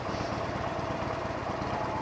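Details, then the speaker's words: Harley Sportster 1200C Evo V-twin cruising, running 100% synthetic oil for the first time: steady low rumble with light mechanical chatter on top. This is the normal Evo engine rattle, which the rider says is more audible on synthetic than on conventional oil. "you hear more noise coming from the engine, because Harley-Davidson Evos do make some engine rattling noise. That is natural due to their engineering. But you hear it more with the synthetic oil."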